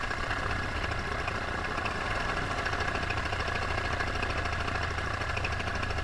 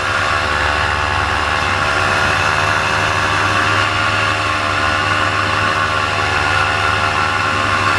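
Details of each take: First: Paramotor two-stroke engine in flight at full throttle, before later losing power; steady high-revving drone holds even with no misses or dips. Normal full-throttle running. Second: Paramotor two-stroke engine in flight at full throttle: high steady buzz whose rpm drops and bogs, losing power, cause unclear; the pilot landed to check it.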